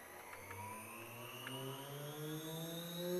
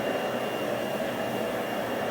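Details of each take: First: Normal spindle run-up on a MERMAK/Probotsan Multi-Mex CNC router, with the vacuum pump and dust extraction also running. A clean whine climbs smoothly to maximum spindle speed with no roughness or rattle; the loud vacuum pump (blower) is a separate noise. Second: Mermak Probotsan CNC Multimax router's blower-type vacuum pump running: steady, loud rushing hiss with a faint high whistle, no speed change; owner thinks standard vacuum motors run quieter; loud vacuum blower noise.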